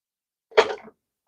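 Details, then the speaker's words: Tripod adjuster, drive screw turning gears, before lubrication with WD-40 dry lube: short scraping, rattly rasp under half a second as adjuster turns; dry, unlubricated sliding parts chattering, suspected not confirmed. "So there's this little drive screw here that's connected to a gear down there, connected to the gear right there, which is connected to this adjustment here. So when I make that adjustment here, turns everything, you hear all that noise."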